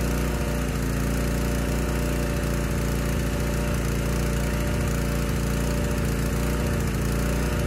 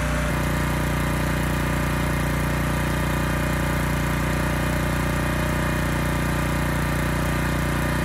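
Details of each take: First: Honda EG1400x generator bought non-running, running with the air filter refitted after load testing. It started on the second pull but gives a steady drone with slightly uneven, loping beats at a low settled speed. Running rich; oil-soaked air filter. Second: Honda EG1400x generator after cleanup, fitted with a new air filter: steady, even drone with no hunting or surging, running smooth and handling a 750 W load with no issues.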